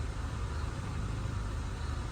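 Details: Honda Civic with rough idle when the aircon is on: an even, low, steady idle without dips or surges. Achieved with a substitute ECU box, ICV, MAP sensor, TPS and throttle body fitted.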